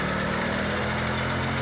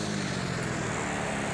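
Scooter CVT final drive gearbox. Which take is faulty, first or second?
second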